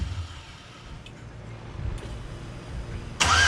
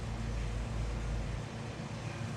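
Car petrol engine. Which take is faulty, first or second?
first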